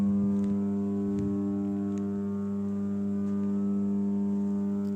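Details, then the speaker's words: Transformer: steady deep hum with an even buzzing overtone, no crackle or change; normal transformer humming. "आज हम आपको transformer की humming के बारे में बताते हैं देखना ट्रांसफॉर्मर जो यह आवाज आ रही है इसे हमिंग बोलते हैं"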